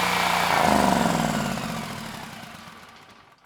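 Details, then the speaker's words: Generac XG10000E twin-cylinder engine after carburetor cleaning, choke off, airbox not fully assembled: even beat, then winds down and stops; fuel feeding properly and it sounds healthy. "it's amazing the difference clean car makes this thing sprung right to life you I was able to turn the choke off right away and the engine sounded good and that was without the airbox fully assembled"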